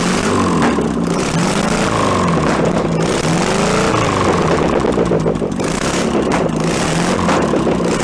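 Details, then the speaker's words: 1966 VW bus air-cooled flat-four, barn engine on an unrebuilt carburetor, warming up. Flat-four burble with pitch swinging up and easing back as the automatic choke switches off and idle drops lower: normal warm-up idle. "as the choke warms up it turns itself off and the idle comes down lower and lower"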